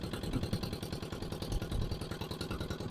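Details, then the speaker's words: Barn-find single-cylinder diesel dumper, first start, no exhaust fitted: pounding fast uneven clattery beat, very smoky and idling well above normal, high idle speed. "that is still very smoky and the restroom seems to be very high as well"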